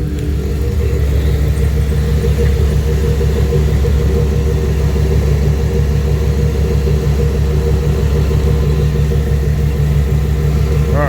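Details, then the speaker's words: 1999 Dodge Ram 1500 idling after a cheap Amazon radiator install: low steady even rumble, no knock, tick or misfire; hoses firm with good pressure, no leaks; sounds healthy. "go let that run for a while so far so good guys hoses are real nice and firm which means we got a good amount of pressure built up"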